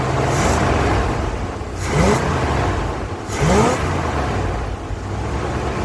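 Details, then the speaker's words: 1980 ramp truck, 351M V8, idling after ~25 years sitting: even idle with a couple of brief throttle blips, no ticking, clicking or knocking; almost 80 psi oil pressure, concerning to owner, but runs pretty good. "All right, so there you have it. It is sitting here idling, and I don't hear any knocking. I don't hear any ticking or clicking."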